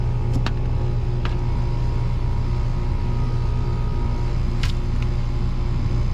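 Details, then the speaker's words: 2018 Trane package AC unit whose evaporator coil froze solid; blower gives deep rumbling air rush with strained sucking undertone, struggling for return air, high static suspected from dirty filter or possibly collapsed return duct. "huh yeah you hear that let's listen to that that thing is struggling to find some air on the return side"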